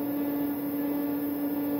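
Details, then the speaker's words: Rainbow illuminate e2 black vacuum, about one year old, running on carpet: steady motor tone with a constant airy hiss and vibration; air leaking out at hose and nozzle connections. "does have a vibration and you can hear the air kind of leaking out of it"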